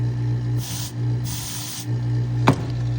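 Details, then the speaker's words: High-pressure fuel pump being rebuilt, submerged under vacuum: short bursts of airy hiss over a steady low vacuum pump hum as air leaks through a tiny crack in the piston bellows; a cracked bellows means the pump is done. "And you hear how it's leaking. There's a really, really small crack on there."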